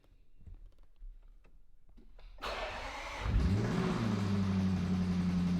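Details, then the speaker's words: Range Rover SVR replacement engine cranks, catches and idles with a steady deep knock underneath. It sounds like a bottom-end knock, suspected worn crankshaft bearings, unless it simply had no oil pressure. "Unless it just didn't have oil pressure. That sounded like a bottom end."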